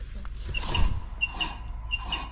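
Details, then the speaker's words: Volkswagen right rear wheel hub spun by hand: high squeaky chirps in pairs over a low rumble from a bad wheel bearing; the tone ring is damaged and keeps grinding down the ABS wheel sensor, setting an ABS code. "you hear that chirping that's that wheel bearing that tone ring is all messed up"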